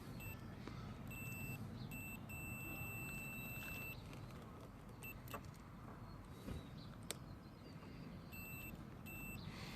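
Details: Multimeter continuity test on GY6 scooter alarm/remote-start wiring (gray wire): repeated high steady beeps of varying length over quiet hum, meter signalling continuity across the leads.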